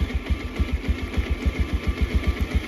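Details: Bajaj Pulsar 125 BS6 stalling repeatedly, check engine light, scan code P2109 throttle position sensor: low uneven putting about six to seven beats a second with varying pulses; rough idle from throttle position sensor fault.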